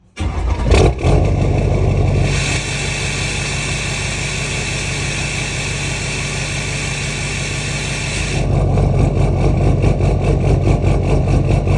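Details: LMM Duramax diesel after sitting overnight at 65+°F ambient cranks, settles from fast idle into a brief lumpy rough idle; fuel rail pressure about 5.8 kpsi and unchanged during roughness, DPF deleted, EGR on, HS Minimaxx tuner, 4" straight pipe.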